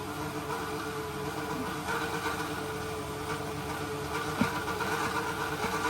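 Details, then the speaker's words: Old, manually run bilge pump in the galley bilge, temporarily wired and with no working auto float (owner suspects damage): a steady low motor hum with a constant tone near 450 Hz and some water gurgle as it empties the bilge. It runs normally. "I have it temporarily wired up, but I have to manually run it. It doesn't have an auto float."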